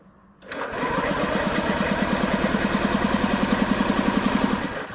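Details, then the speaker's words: 2007 Honda Metro/Ruckus 50cc four-stroke scooter with low power (about 35 mph top speed) during a compression test, throttle held wide open: starter cranks with an even, strong chuffing pulse about four beats a second. Compression reached 180 and was still building, so compression is not the problem. "oh yeah I was still building compression I have was up to 180 now I still building so it's not a compression problem"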